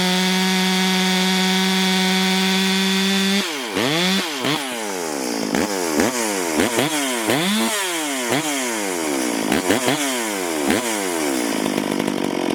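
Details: Stihl MS440 chainsaw under load in old oak, before port work; high clean revving dropping in pitch as the chain bites, then recovering, self-feeding with good chips; normal cutting.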